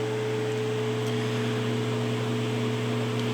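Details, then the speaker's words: 1925 Emerson Jr 9-inch antique desk fan, shaded-pole motor (not split phase, no centrifugal clutch) with hollow-shaft circulating oil bearing: smooth steady hum at one even pitch, no rattles or scraping; very quiet, healthy running. "it's a very smooth running motor shaded pole it's not a split phase with the streets and terrifical clutch or anything so it's very very quiet starting and stopping motor"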